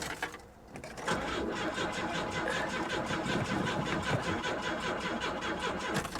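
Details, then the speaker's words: Auction car that has not run in a long time, with the fuel gauge showing gas but no fuel pump heard: the starter cranks at an even pulsing rhythm for about five seconds and the engine never catches. Cranks without starting. "she don't run man she don't run this thing hasn't run in a long time"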